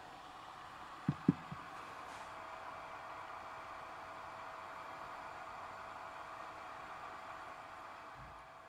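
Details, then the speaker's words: GMA465 multicharger after replacing its DC cooling fan: soft, even hiss with no rattle or buzz after a couple of handling clicks; quiet after hours of use, fan noise repaired. "I've used it for a few hours and it doesn't make any noise."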